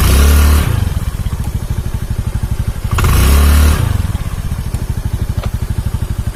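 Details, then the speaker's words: Honda Beat carburetor scooter after replacing a snapped CVT drive belt (V-belt kit): two throttle blips then a fast, even putter at idle, no slapping or grinding from the drive; running smooth, long-term noise still unknown. "Oke Alhamdulillah sudah selesai dan mesin halus mesin halus kawannya"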